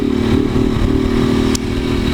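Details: Motorcycle with a 4 mm engine and naturally aspirated head, exhaust ruled out: steady hum with a loose, rattling clatter; something seems loose inside, source unconfirmed.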